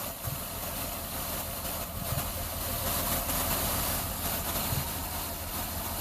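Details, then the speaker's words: 2004/2005 Ford Escape V6 with pending P0355 (cylinder 5 coil primary circuit): mostly even idle broken every second or so by a dull thump and stumble, like backfiring through the intake, engine shaking; intermittent misfire from failed ECM coil driver. "I can hear, I don't know if it's capturing on video, but it sounds like it's almost like misfiring, backfiring through the intake. And when it does that, you can see the engine shake a little bit."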